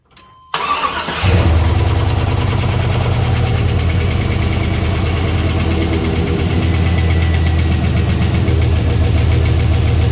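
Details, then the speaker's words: 6.0 LS V8 first start after replacing spun rod bearings: fires and idles with light quick ticking over the exhaust; one valve train component noisy, owner suspects low lubrication and lifters not yet pumped up. "One of these guys here is making noise. You can see they ain't getting much lubrication. Maybe it's gonna take a second for them to pump up, I don't know."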